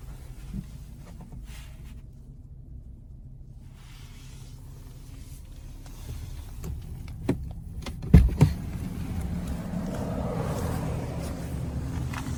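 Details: 2017 BMW 340i xDrive F30 at low fuel after the dealer reprogrammed it under SIB 12 20 19: a quiet, steady cabin hum with a brief window whir. The former helicopter thumping from the back seat area is gone, so it sounds normal.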